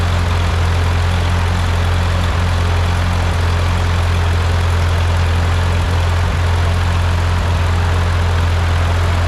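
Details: Ford 8N tractor with freshly rebuilt engine, first start after rebuild with piston rings still seating: deep, steady idle thrum with an even firing beat and no knocks or misses; sounds really good, normal idle.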